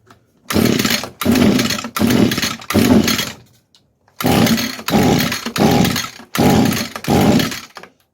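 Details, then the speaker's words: 22-year-old Echo two-stroke string trimmer that sat for years, with its carb screen cleaned and on choke, catches in short buzzing bursts and dies; owner thinks the carburetor isn't supplying enough fuel and needs replacing. "Yeah, I think we're going to have to get a new carb for this thing. It tried, but I want the choke like halfway on."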